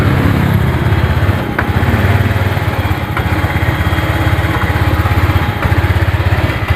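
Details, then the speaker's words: Honda Vario 125 scooter idling unevenly with a stumbling, lumpy beat as if about to die, after stalling on the road; started with the kick starter because the battery seems weak; tank recently drained, fuel and spark plug replaced; low fuel-pump pressure suspected, to be checked. "suaranya ngadet-ngadet kan e nanti kita cek full pamnya tekanannya berapa"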